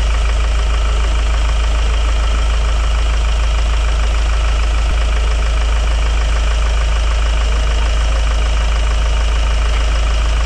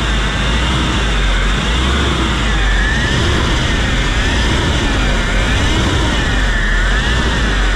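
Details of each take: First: Hyundai Grand Starex diesel idling after the repair. The clatter is even, and the earlier ear-piercing humming and grinding are gone, so the noise is solved. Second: Hyundai Grand Starex diesel at idle. A rough, wavering grinding whine sounds like a failed bearing or an empty power steering pump; the cause is a worn idler pulley bearing.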